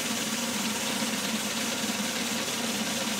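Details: Homemade DIY belt sander prototype, belt tracking centered, no bearings yet: steady, even hiss and whir with no knocking or rising squeal at constant speed; runs smoothly, though builder plans to add bearings to cut shaft resistance.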